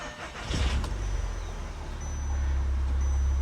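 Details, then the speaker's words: Audi TT after cam chain work and a new seal: steady, even low rumble at idle. The idle no longer bounces up and down, there is no vibration felt inside, and it no longer smokes. "So far, sounds perfect. Yeah, this is smooth. Previously, the idle was bouncing up and down a lot. Uh it's not doing that anymore."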